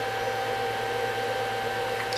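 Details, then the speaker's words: Schumacher digital battery charger, fan replaced with a wrong-size unit, charging a gel-cell battery; steady, even whir around 800 Hz with no ticking or rubbing; the fan spins smoothly. "right and it started charging you can hear the fan spinning you can see the voltage going up"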